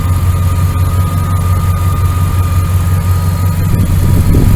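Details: 1999 Dodge Ram 1500, 5.9L V8 gas, idling after a new starter, belt tensioner and idler pulley: deep, even, smooth low rumble with no knocks, chirps or belt squeals. Motor sounds good; normal idle.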